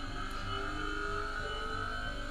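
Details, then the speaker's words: Kasvi clinical lab centrifuge running with lid latch simulated closed: steady rotor hum with rough uneven rumble and buzzing from motor shaft play; worn motor bearing/bushing. "Tá bem barulhento, né? Por causa da folga que ele tem lá."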